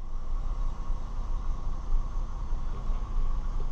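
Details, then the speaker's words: 2002 Chevy Malibu that cranked but wouldn't start, after camshaft position sensor replacement: starts right up and settles into a steady, even low idle with no misses, knocks or ticks; problem fixed. "Clear all this out right now. Ooh, it started right up."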